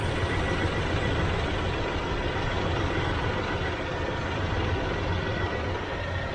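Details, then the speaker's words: 1981 Chevrolet Silverado V8 after replacing warped harmonic balancer/pulley to cure belt squawk and slightly adjusting timing: steady even idle with low smooth rumble, no squawk or chirp; healthy. "okay I adjusted the timing a little bit so it seems to be okay"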